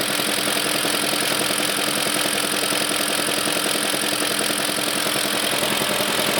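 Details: BMW E38 with M62 engine at idle: steady idle with a fairly regular knock, roughly eighty a minute, over a loud hum; cause not pinned down.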